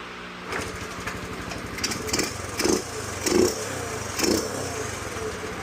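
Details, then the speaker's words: 2007 Honda CT110 single-cylinder, stored for three years, kick-started after a carburettor clean (pilot jet blown out) with fuel on: it fires evenly and crisply, picks up cleanly on quick blips and settles without stumbling. Runs healthy. "Runs great. Yeah. Runs awesome."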